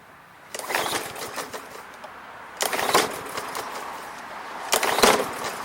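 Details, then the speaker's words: Non-running Briggs & Stratton MTD mower without a primer, oil clean but slightly overfilled, before any Seafoam or fix: three short recoil pulls, each a flurry of turns dying away without firing; cranks but won't start, owner suspects the carburetor needs cleaning. "now this is no primer or else there'd be a big red button there we'll see what happens let me say it's not going to"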